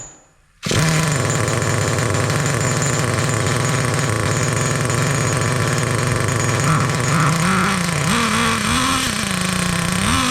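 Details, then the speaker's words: Traxxas T-Maxx nitro engine, sat 17 years, fires and holds a fast, blubbery buzz with surging, wobbling revs and clutch spinning; mixture too rich, dumping fuel, being leaned out. "all right she is running but man is she dumping some Wicked fuel out a lot of fuel let's lean that out a little bit"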